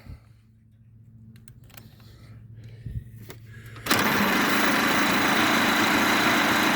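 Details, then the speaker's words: 1927 Pirsch fire truck engine, not run since 1994, cranking with the fuel tank newly hooked up: steady churning of the starter at about 2.5 beats a second with no firing. Cranks but no start; spark at the coil checked next. "well that sounds like a bunch of nothing so far"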